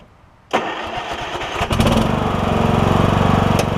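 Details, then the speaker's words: Troy-Bilt Bronco lawn tractor on concrete after new drive and deck belts and deck repairs; short cranking, catches within a second and settles into an even, steady run with no knocks or squeals. Healthy start, and the deck is about half as loud as before. "the deck is a little quieter I may start it up and just let you hear it is going to be a little bit loud on the concrete but uh the deck seems to be probably about half as loud as it was"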